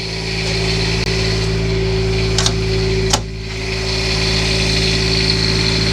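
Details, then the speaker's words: Class A RV Quiet Diesel generator just started after priming fuel, warming up before oil change: even diesel drone with steady hum, no knocks or surging, a couple of brief clicks; running normally. "And that's why they call it a quiet diesel because it is running."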